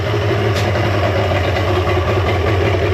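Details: 1995 Mercury 200hp XR6 Blackmax outboard, about 30 years old, after trigger removal and timing adjustment, running with the idle stabilizer refitted; steady even burble without stumbles or knocks; normal running.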